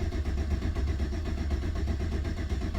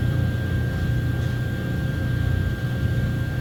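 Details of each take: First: 2009 Chevy Silverado 1500 4x4 5.3 V8 cranks at normal speed but never fires. Fuel pump not running during prime or cranking, with intermittent loss of communication to the fuel pump driver module, later found water-damaged and replaced. Cranks but no start. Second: 2009 Chevy Silverado 1500 4x4 5.3 V8 running after replacing the fuel pump driver module, which had water intrusion and caused a cranks-no-start: steady even low rumble, no knocks, stumbles or surges, normal running.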